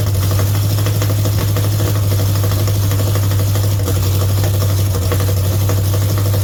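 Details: Mopar 400 big block for a 1964 Dodge Polara 500 on a run stand, with the timing advanced slightly. A loud, steady idle with an uneven, lumpy beat, like one cylinder dropping out now and then. The owners suspect it may be missing a bit; this is not confirmed.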